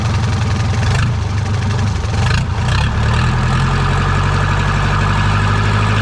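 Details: Second-hand diesel boat inboard engine after fixing swapped cables: steady, even idle with smooth low thrum and no misses or knocks; normal idle, alternator possibly damaged.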